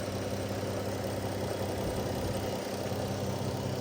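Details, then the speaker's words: Dodge Caravan petrol engine idling after repair of white smoke and cylinder 3 misfire: oxygen sensor and worn spark plugs replaced, MAP sensor cleaned; now smooth, quiet steady hum with no shaking, check engine light gone. "Ayan, tahimik na ng makina at wala ng kakalog-kalog."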